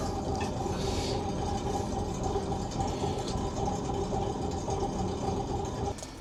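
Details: Volvo Penta TAMD 71B marine diesel, stood 10 years in a partially sunk abandoned boat, prop test in gear after reviving with fuel: soft even chug about three to four beats a second, no knocks or misses; running normally.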